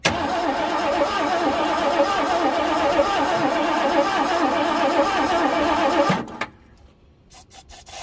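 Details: 1967 Ford Galaxie that sat 35 years in a cow house, ether sprayed in: steady starter cranking about three turns a second for six seconds, never firing. Spark to be checked next: cranks but won't start.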